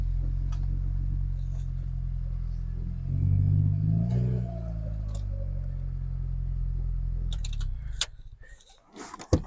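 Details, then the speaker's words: Restored Mini Cooper S on its first start after a rebuild: the engine catches and settles into a low, steady idle with a brief rev, then shuts off; it runs, gears select, and the wheels can be heard turning in the brakes. "We have success. So that is a huge result. I'm so pleased. It was the most nerve-wracking start of an engine I've ever done. It starts, it runs, I can select gear, I could hear the wheels turning in the brakes."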